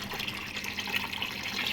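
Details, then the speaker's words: Air cooler water pump after rewiring: steady splashing and trickling water over a faint low hum, even continuous flow; pump lifting water normally. "ये देखिए पानी उठा रही है pump या नहीं, ये देख सकते हैं आप, पंप हमारी पानी उठा रही है।"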